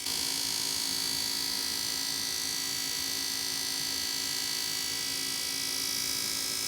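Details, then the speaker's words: Goodman gas furnace GMS80804BNBD before repair: constant high-pitched screech over a low hum, audible through the whole house, from a defective draft inducer fan, fixed by replacing the inducer fan/blower with gasket. "Before fixing it I will constantly hear a screeching noise coming from the furnace."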